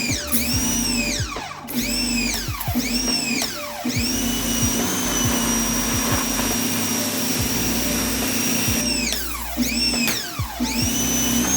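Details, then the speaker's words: Ryobi 1600 PSI electric pressure washer spraying: strong steady motor hum with hissing spray and brief stops as the trigger is released; runs healthy and powerful, normal operation. "It's really powerful. This thing is amazing."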